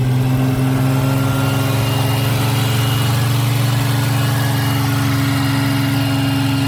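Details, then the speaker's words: Ford Capri 3.0L V6 race car replica, carbureted with points ignition, first start after 20+ years stored, running once the points were cleaned to restore spark: steady, even idle with smooth low drone, no knocks or misses; oil pressure good, normal. "Yep. All good. All good. Yeah, oil pressure is good, mate. Yeah, oil pressure is good. >> Yeah, she is running nice."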